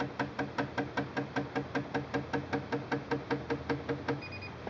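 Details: Singer Quantum L-500 sewing machine, pressing the stitch length/width plus buttons (max length 5.0, zigzag width 9.0): steady run of short soft beeps; normal button feedback.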